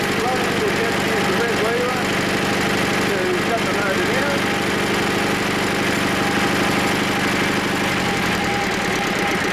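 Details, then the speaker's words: Diesel engine right after a cold start (unused about 3 months, about 5 degrees): even clatter settling into a smooth idle with no misfire or knock. Normal running once started. "Once it's running, the motor provides its own heat and there's no problem."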